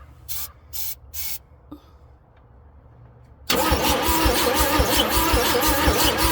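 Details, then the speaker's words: Chevrolet C10 cranking with starting fluid sprayed in: steady dry, screechy cranking at about 160 beats a minute, one faint skip, never catching; owner suspects no spark. "It was sounding earlier like it wanted to fire. Yeah, but... that's what I thought. I heard a little skip there. It sure sounds dry though. You hear it just screechy, screechy, screechy, and dumping fuel down it doesn't help."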